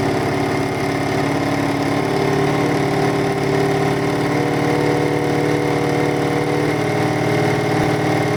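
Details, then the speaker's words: Lumpy idle on the beaten-up BMW F650 Funduro after starting with a little choke: loud even idle with a faintly uneven beat and steady tone on top; sounds great but slightly lumpy, owner says it would need balancing again. "it sounds great it's a little bit lumpy on the Bauman's if you were going to keep the airport was like that you would now have to balance it again"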